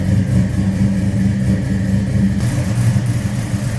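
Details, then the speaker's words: 1973 Dodge Charger, 440 V8 with MSD ignition, Holley carb and headers: deep lumpy rumble with an even steady beat, no knocks or ticks, runs smooth; normal idle. "Nice throaty sound out of that 440. Listen to this. Like I said, don't be afraid to get this one and drive it. Sounds good. 440 rumbling underneath the hood."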